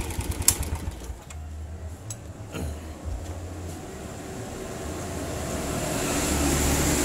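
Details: Suzuki Smash/Shogun 125 motorcycle idling with a rough, clattery klotok knock. The cam chain is slack from a loose timing chain tensioner, fixed with a 10 mm bolt 6.5 cm long and a locked nut.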